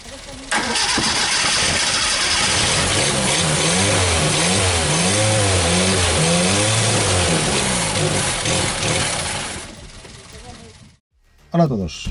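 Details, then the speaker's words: 1974 SEAT 127, stored since the 1990s, started on carburetor fed from a full fuel bottle: catches almost instantly and idles on a steady, slightly wavering beat for about ten seconds before dying; engine runs and sounds good. "Vous l'avez déjà vu démarrer avec une bouteille d'essence branchée, le moteur marche bien, ça sonne bien, etc., mais bon, il fallait mettre le carburateur."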